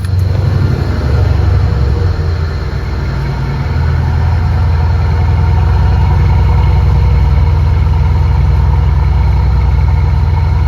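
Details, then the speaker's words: 2015 Mercedes S63 AMG twin-turbo V8, cold start after spark plug replacement with borescope gap checks and indexing: settles into a deep steady idle with no misfire or ticking; idles smoothly. "God, that sounds good. That sounds really good."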